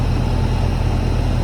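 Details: Hayward heat pump pool heater whose fan had not been starting, now running: low, steady compressor and fan hum with no rattles or squeals. Ambient 75°F, discharge 59°F, pool 75°F, set to 84°F. Normal running.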